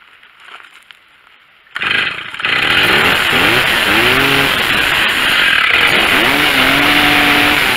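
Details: Stihl chainsaw after carburetor, ignition coil and spark plug replacement: fires after a short pull and settles into a clean, steady buzz, revving up and down smoothly; runs healthy.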